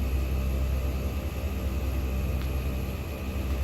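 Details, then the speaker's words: Newly installed ARB dual-screw air compressor filling a roughly three-gallon tank: steady, even low drone with a deep rumble and no knocks or rattles; 100% duty cycle, 150 psi auto cutoff; normal running. "window you can't hear anything at all it's probably if I had to guess I think that's about a three gallon tank this thing fills faster than my home air compressor and it has a hundred percent duty cycle"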